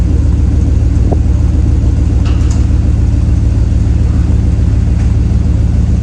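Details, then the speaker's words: 1999 Dodge Durango at idle after a new muffler was fitted: deep, even low rumble with a steady pulse and no rattles or blowing; a normal, healthy exhaust. "I think that sounds pretty good myself I think a job well done to myself"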